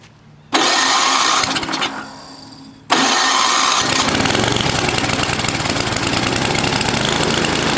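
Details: NOMA 8hp snowblower engine just after fitting the carburetor, bottom carb screw turned all the way in: it fires, dips, then restarts and runs with speed rising and falling as the governor moves back and forth. Governor hunting; the carb still needs tuning.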